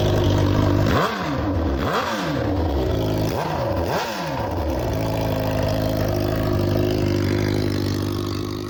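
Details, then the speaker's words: Suzuki GSX-R1000 after rebuild and manually cleaning clogged fuel injectors: three quick throttle blips rise and drop cleanly, then even idle; engine running crisply and normally. "So, we got the injectors put back in and we just crank it up for a minute or so and it runs great again."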